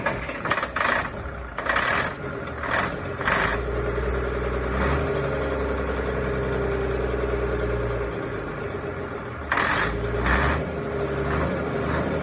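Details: Mack B61 diesel, suspected short of fuel pressure or volume with nothing coming back from the return, started after the fuel pump had run a few minutes: some clunks and cranking bursts, then it catches and settles into an even idle. Diesel engine hard start.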